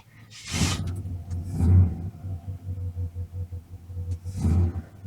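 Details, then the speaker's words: 1987 GMC Jimmy with a new mini starter, cranked with the AC left on and no choke: the engine catches, then lopes with an uneven, labouring rumble. Rough start under AC load. "Doesn't really like that, it doesn't have a choke, so forgot I got to drain the water back out of the Jimmy, so it's gonna be a minute."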